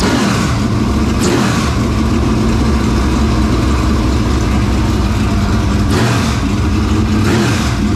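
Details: Dirt Late Model race engine just started after carburetor work: loud, lumpy idle with two sharp throttle blips that climb and drop cleanly, no misses or knocks. Normal, healthy idle and revs.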